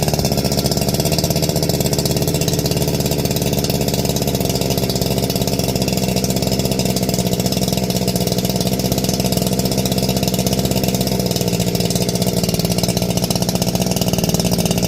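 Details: NeoTec 865 chainsaw with ported 50mm top end, just started on fuel and bar oil: settles into a steady, even two-stroke buzz with no misfires or hunting; running healthy.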